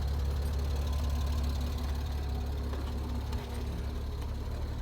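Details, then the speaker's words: Clean-title insurance auction car, with a gauge reading in the red: a low, rough idle with an uneven knock about three times a second over the engine drone; cause not determined. "And there it is, guys. You guys hear the knocking now. Yep, I know you guys hear that knocking."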